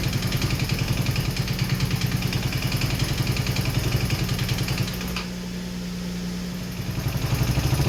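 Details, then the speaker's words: Rebuilt 150cc GY6 engine in RZR170-clone UTV, cold day, started with starting fluid and jump from truck: uneven lumpy idle with brief dip; runs rough with blow-by that seems to be clearing. "It runs, it runs. We're going to do the exhaust off, but it runs. Not too happy about it. It had some blow by, but it seems to be clearing up."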